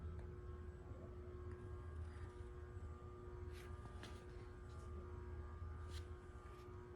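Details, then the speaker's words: Casablanca Concentra ceiling fan on a variable speed control at low speed: a soft, steady low hum with a faint even tone and no ticks or wobble, running smoothly at low speed. "Got a perfect low speed."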